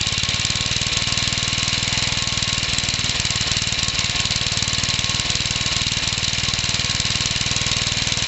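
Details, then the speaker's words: Home-built hybrid single-cylinder stationary engine, Suffolk engine combined with 1950s parts, newly assembled on skids with a cleaned carburettor, first-ever run: noisy, hard rapping knock under the exhaust beat, not very smoky; big end knock as expected. "oh it's a noisy bugger so so [Music] oh well anyway there you go that's a running stuffer's engine combined with us old 1950s and then the rest of it is we actually haven't done that bad definitely got that big end knock just as i thought it would"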